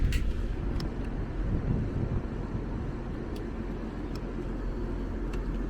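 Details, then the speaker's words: AC unit on no-cooling call: only steady condenser fan rush with a few clicks, no compressor hum; amp draw 6.62 A confirms only the fan runs; compressor won't start, capacitor to be checked. "Let's check our amp drawer here, 6.62. That means only the condenser fan is running. Compressor's not."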